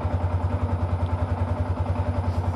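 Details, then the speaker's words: Yamaha R15, after first oil change in about 5 years (only ~100 cc old oil left), new MPX oil: even quick firing pulses about ten a second, no knocks or ticks; smoother, normal idle. "Ini suara mesinnya setelah saya ganti oli kemarin ya. Udah sedikit lebih terasa lebih halus suaranya dan tidak ada tarikannya lebih enteng karena olinya beli baru, tarikan enteng."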